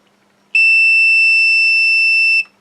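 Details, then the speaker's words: Multimeter continuity test on a new flight control board in a 210-size quad: one steady high-pitched beep about two seconds between positive and ground, showing a short on the board. "if we use the continuity test and go to where shall we say laughs here and ground we've got a problem and if we go to ground up here"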